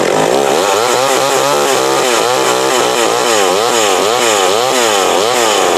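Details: McCulloch Mac 120 chainsaw, older saw apparently taken apart before; small two-stroke buzzing high and fairly even, pitch swinging with the throttle; all it needed was a carb adjustment, now running properly.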